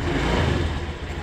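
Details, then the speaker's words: Honda Scoopy scooter started after fixing a flat battery, battery now fully charged: short low rumble settling into a steady idle without stumbling; engine running normally. "Mari kita coba memulainya. Mesinnya sudah menyala sekarang."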